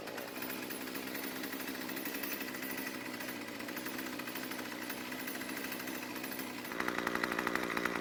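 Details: Craftsman two-stroke string trimmer after richening idle fuel (L screw a quarter turn counterclockwise) because it had stalled at idle: steady buzzy idle, then a brief rev pickup with a sharper whine. It runs cleanly and stays running.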